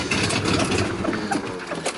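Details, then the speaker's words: Mercedes W123 250 limousine, euro model, running on a little gas poured into the carb: rough, uneven sputtering with irregular pops; owner suspects it needs a carburettor rebuild and fuel pump, possibly sucking air, and notes an exhaust leak. "so it's a runner you definitely have exhaust li and you definitely need to do a little work on it the carburetor needs to rebuild and needs a fuel pump that's the problem it ain't pump and fuel"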